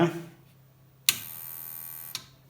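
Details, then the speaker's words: Must PW1800 inverter switched on after repair of failed transistors: sharp thump then a steady high buzzing hum for about a second with high current draw, pointing to an auxiliary supply fault, an additional problem beyond the repair. "такого звуку бути немає очевидно є додаткові проблеми 7 а струм валить щось не так"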